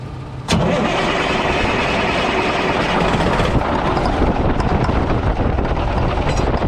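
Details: Mack tank truck diesel (believed 1995, 122,000 on odometer) started with a starting aid instead of ether: cranks, catches and settles into a rough, steady clatter with a light knock, much milder than with ether.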